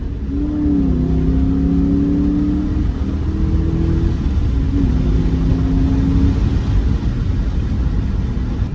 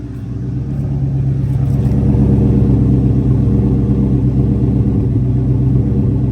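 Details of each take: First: 2003 Ford Mustang GT driving after new MSD coils and spark plugs cured a bad misfire: deep, even drone pulls cleanly through the gears, pitch steady between shifts, no misses or stumbles; healthy acceleration. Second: 2003 Mustang GT misfiring since a coolant flush, before replacing the coils with MSD coils: rough, lumpy idle stumbling about three times a second. Owner suspects the coils; cause not confirmed.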